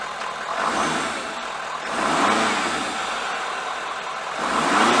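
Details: 2017 Ford F250 after No Limits Fab cold air intake install, filter touching fuse box: engine catches and settles, then three clean revs about two seconds apart, smooth even pull; normal start and revving.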